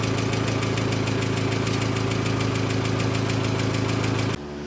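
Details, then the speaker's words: Mk4 VW Golf 2.0 after valve teardown rebuild, first run: rapid sharp ticking puffs about four a second over a steady idle from a bad exhaust leak; a transmission mount is also bad, but the engine runs. "so we have a hell of an exhaust leak and there's definitely at least a transmission mount that's bad but in a great note the car runs which is excellent news"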